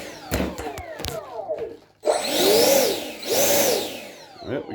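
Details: F-15 Eagle 64 mm ducted-fan RC jet during radio binding and setup: handling clicks, then a high whine swells and sweeps up and back twice as the fan spins up; sounds healthy, normal spool-up.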